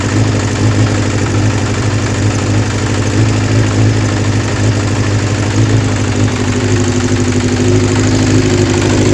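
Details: Kawasaki GPz 400 motorcycle with a hard-start and overflowing carburetor issue, reported solved: a steady, even idle with smooth, clean pickup as revs rise, no misses or knocks; normal idle and revving.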